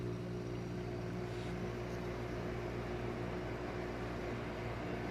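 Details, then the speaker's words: Maytag 5200 BTU window air conditioner (Fedders-made) after fixing a rattling rear radiator: steady, even compressor hum with a low drone and no rattle or buzz. Runs smoothly and much quieter. "Yeah. So, much quieter now. I figured it would be."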